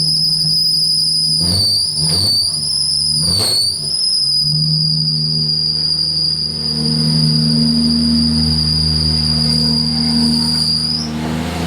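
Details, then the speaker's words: 1978 Datsun 280Z 2JZ swap, very first start, no coolant in car. Shrill steady squeal starting with the engine and lasting about ten seconds over a smooth idle; owner suspects the belt, worried about an unfortunate belt routing setup. Not confirmed. "Now, the belt did squeal. I was worried about that."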